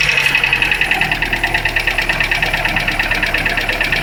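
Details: Lanos 1.5 engine, cold start: fast, even light ticking over a steady cold idle that keeps time with engine speed; top-end knock, cause suspected but not confirmed.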